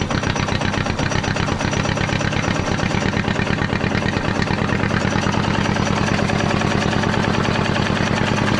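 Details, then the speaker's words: Caterpillar D8 2U pilot (pony) motor after magneto rebuild and carburetor work, freed from a sticking part: quick, even putting beat with firm low thump, steady and picking up slightly. Normal running. "I have a thorn sticking. Yes, that sounds much better."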